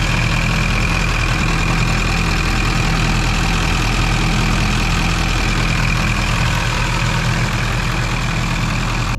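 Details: Duramax diesel (2001-2016 range) after installing Dynovox stainless up-pipes replacing the OEM pipes. Steady low idle rumble with an even beat and no puffing or ticking; the engine settles and runs smoothly. Normal idle.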